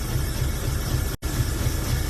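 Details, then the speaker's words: Hot-rod V8 with a loud, uneven idle rumble and a brief dropout: rough idle. It won't accelerate properly, no vacuum leak on the plates; owner suspects flooding-fouled plugs and plans to check the cap, rotor and spark. "I got it to idle but it's not accelerating properly and [ __ ] I don't have a vacuum leak anywhere on the [ __ ] plates or anything"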